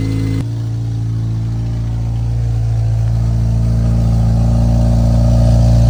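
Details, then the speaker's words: Acura RSX project car bought as a race car, described as having a wicked loud exhaust: engine catches and settles into a deep, steady, boomy drone that swells slightly as it warms. "let's start it up you're going to hear how loud the exhaust is it's like Wicked LS"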